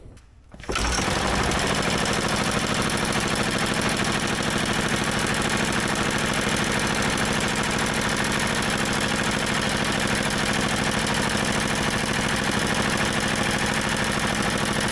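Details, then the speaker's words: Old motorized dumper single-cylinder engine after fitting the parts carburetor, not yet fully warm: fast, even chatter holds steady with no stumbles; longest run yet, carb still to be fine-tuned. "I think we got it guys this is by far the longest it's run yet sounding pretty good"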